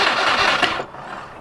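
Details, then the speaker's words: 2000 Subaru WRX GC8 barn find, sat untouched 11 years: engine catches with a short burst of revs then dies within a second; owner suspects it only ran on fuel squirted down the throat, unsure if tank has fuel or pump works. "I don't know if there's any fuel in the tank I don't know if the fuel pump's working I think it was only running off that fuel I was sticking down the throat"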